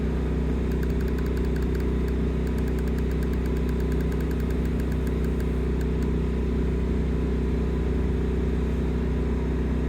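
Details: 2022 Forest River Sunseeker 2500TS RV generator, running while power transfers and furnace starts: even low drone at constant speed with light clicking on top; normal generator running.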